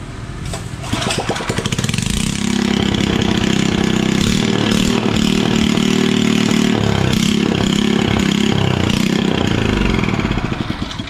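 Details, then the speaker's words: Buffalo 6.5 single-cylinder engine, previously without compression, after valve replacement and lapping: pulls over, catches and settles into a quick, even idle with steady firing, running fine after repair. "tá belezinha. Agora é o seguinte, a gente teve que trocar aqui as válvulas aqui, fazer a esmerilhada nas válvulas. Tá belezinha aí."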